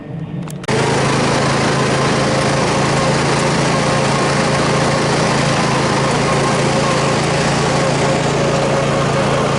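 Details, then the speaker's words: Troy-Bilt Super Bronco riding mower, rebuilt from pieces, on its test cut after repair: steady, even engine drone with a constant hum under cutting load and no misses or knocks. The earlier pounding is gone and it cuts grass normally. "Oh yeah, she cuts grass just fine."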